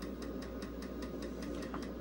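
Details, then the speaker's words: Vintage IBM PC/XT floppy drive not clamping the disk properly, so the hub runs off-center. Sharp, even knocks about five per second over the drive's steady hum. A replacement drive is on the way. "one of the things that this floppy Drive doesn't do correctly is it's not clamping down properly so you get the knocking sound of the Hub being off center"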